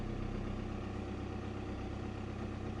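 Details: VW Passat 2.0 TDI that would not start, after repairing a bad contact at the fuel pump connector pin: even, steady diesel clatter at a settled idle with no misses or hunting; engine now starts and runs healthy.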